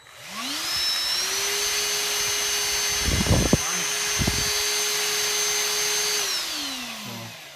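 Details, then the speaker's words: Dyson cordless vacuum after resoldering a connection to fix a shut-off problem, with battery terminals also cleaned. A high, steady whine holds a constant pitch without cutting out, then winds down smoothly; it seems to be working. "seems to help it you know I got the charger ready so I can charge it up a little bit but seems to be doing okay"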